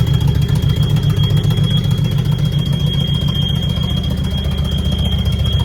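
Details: Mercedes W123 bought after sitting in a pub car park, while driving: a steady high-pitched squeal over a very loud, rumbling engine; brakes said to be not good and a possible but unconfirmed source.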